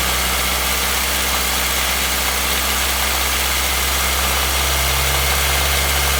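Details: 2016 Nissan Versa with only 449 km: small petrol engine idles with a faint, fairly regular knock about four per second under a steady hum; engine knock at idle, still knocking.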